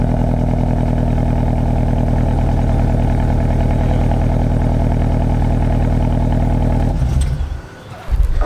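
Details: Car with aftermarket resonator and muffler exhaust, last run before refitting stock exhaust for California law: deep, booming drone held at high revs about seven seconds, then drops away; loud aftermarket exhaust.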